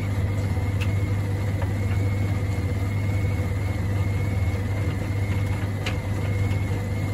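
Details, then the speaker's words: Samsung DV80M50133W heat pump tumble dryer with SC error, pump, hoses and heat exchanger being checked: steady low hum with a faint thin tone as the drain pump runs and pumps normally once water is present; unclear whether fault is cured. "it's pumping now look better there must be water for it to pump that on like that it doesn't take much for it to work"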